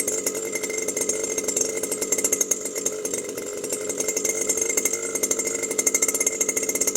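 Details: New Stihl FS 120 two-stroke trimmer that wouldn't start after break-in, running after its faulty spark plug was replaced: crisp, high buzz with even pulsing as the throttle is blipped, and no misfires or stumbles.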